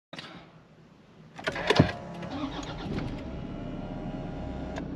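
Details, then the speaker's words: 440,000 km Toyota D4D diesel, first startup after engine repair at the workshop: cranks briefly, catches within a second, settles into a steady, even idle with no knocking; sounds far better than before repair. "that sounds miles better. As you can tell, with a smile on my face, but that's bloody awesome. That sounds 100 times better than it did."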